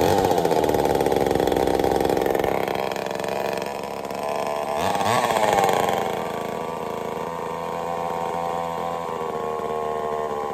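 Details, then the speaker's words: Homelite Super XL-923 82cc two-stroke chainsaw on test fire, after tuning, low speed slightly rich, on-off switch troublesome: loud snappy buzz revving up and settling evenly with no misfire; running healthy. "Not bad at all. She tuned right up pretty easy. Got a little rich on the low speed, but I'm very surprised. She's loud though. Holy cow, she loud. Good and snappy."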